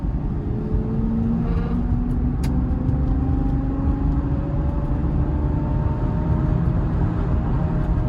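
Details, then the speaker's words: Ford Fusion just bought from auction that felt like it didn't want to go (stuck caliper suspected): thin whine rising with speed over road rumble; owner believes not drivetrain, cause unconfirmed. "But if you can hear that whining, y'all, that is not like a drivetrain or anything like that. So I'm not tripping about that."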